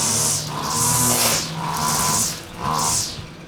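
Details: Husqvarna two-stroke string trimmer after its carburetor was disassembled and reassembled (diaphragms serviced), tested with the air filter off: repeated throttle blips rev up cleanly and drop back without stumbling. High setting may need slight tweaking; otherwise normal running.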